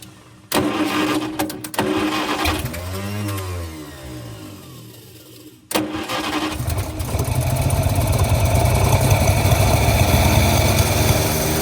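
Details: 1948 Studebaker Champion flathead six on old fuel, warming up: catches and settles to a lumpy idle with a steady miss. Number 6 cylinder is dead, possibly more; suspected intake valve puffing through the carburetor.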